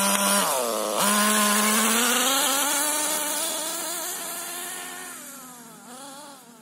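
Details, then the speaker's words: HPI Nitro MT with Nosram .18 RS Evo nitro engine during break-in tanks: buzzy high-pitched note swings then holds a quicker, steadier idle after leaning the mixture about three-quarters turn; performing better, still somewhat rich. "so as you can probably hear i've leaned it out quite a bit so it's idling quite a bit faster now and it's performing a lot better"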